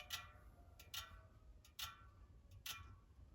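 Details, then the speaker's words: ICAN FL38 MAX carbon front wheel on truing stand, caliper set to rub lightly for roundness check: soft brush repeating about every 0.8 seconds, same each turn; wheel round within fractions of a millimeter. "I let it rub a little bit so you can hear it. That helps you see it too. It just helps to hear it and see it."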